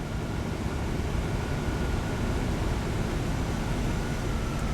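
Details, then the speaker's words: 1993 Chevrolet Corvette C4, engine running, after climate control head unit removed and contacts cleaned: steady even rush of air from blower over low engine hum, no ticking or grinding; fan and controls now working. "Fan is kicking on. We got this, 0. We got fan speed"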